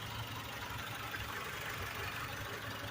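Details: Blue PT Cruiser idling at about 1200 rpm, slightly higher than a comparable car; quiet, even idle with a soft hum, no knocking or hunting; no overheating; radiator fan cycles on after about a minute while the owner checks heat-gauge concerns.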